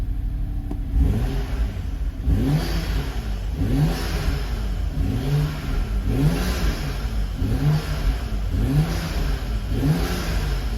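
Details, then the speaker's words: 2011 BMW 335xi E90 M Sport 6-speed auction car with about 35,000 miles and a clean engine bay: repeated clean throttle blips, revs rising and falling smoothly with no knock or rattle; normal, healthy revving. "yes so everything is just fine no issues at all so at this point i have nothing to say anymore"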